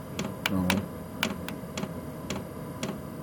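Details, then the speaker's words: Chinese diesel air heater on level one: slow, sharp fuel pump clunks roughly every half second over a soft fan hum; pump and fan both slowed down at the low setting, normal operation. "the uh fuel pump which you can hear going clunk clunk clunk that's slowed down considerably and the fan slowed down"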